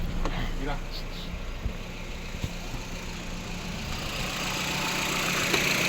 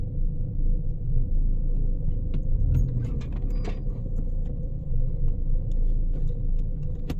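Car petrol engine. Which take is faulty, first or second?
second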